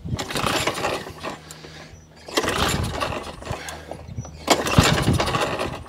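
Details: Masport 18-inch rear-roller lawn mower, on choke with fuel confirmed, no spark: three pull-start bursts about two seconds each, turns over and nearly catches but never fires; owner suspects failed Champion spark plug.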